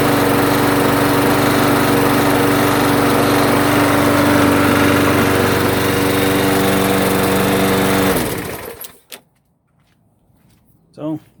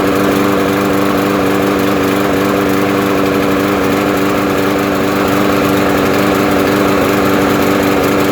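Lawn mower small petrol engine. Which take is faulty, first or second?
second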